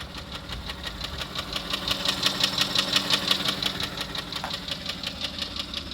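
Sharp, evenly spaced metallic knocks, roughly three a second, ride over a steady idle; a clear internal engine knock.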